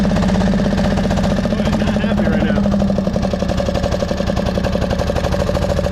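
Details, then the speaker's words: 1999 Craftsman lawn tractor, 20 hp V-twin, first mowing test with deck on: loud but uneven running, beat stumbling and sagging; owner suspects a carburetor issue with flooding, planning a carb clean. "Well, to me it sounds like a carb issue and we've had some flooding problems."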